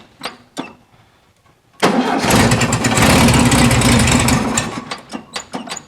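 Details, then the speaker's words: 1974 VW Super Beetle convertible flat-four with dual carburetors, cold start: catches fast and runs a few seconds with an uneven, lumpy beat before shutting off; one carb sounds lagging, suspected out of sync. "for a cold start it's not too bad that carb seems like it is lagging a bit let me shut her down yeah cold star fires up pretty good this side sounds like it's lagging just using the old ear dynamometer"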